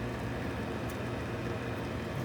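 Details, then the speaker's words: Goodman gas furnace on a no-heat call, with flame rollout seen at initial fire-up: steady low motor hum with no clear speed-up, sluggish; the induced draft motor sounds weak. "vent motor really doesn't sound good the induced draft motor"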